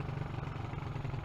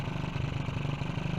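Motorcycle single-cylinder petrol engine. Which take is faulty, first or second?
second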